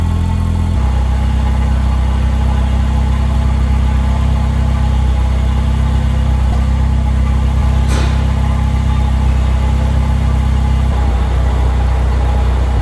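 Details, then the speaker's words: 2000 Porsche 911 Carrera 4 with Honda K-series swap, newly built exhaust, before ECU and dyno tuning: strong steady low exhaust rumble at idle with a clean rev blip, even firing; normal idle and revs. "But for now, why don't I lower this car back down, get it up and running so you guys can hear how it sounds."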